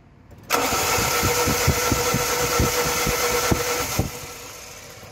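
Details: Fiat Punto HGT petrol engine, broke down after a hard pull, runs roughly with uneven thumps about four a second; spark check shows one ignition coil burnt, dead-cylinder misfire.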